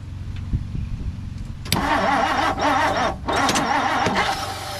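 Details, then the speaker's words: 1959 Plymouth Savoy, repeatedly flooded and found with oil overfull, cranked without choke: starter cranks unevenly, then the engine catches with a rough stumble and dips before running ragged; hard, rough start. "That sounded bad. Hopefully something just fell down."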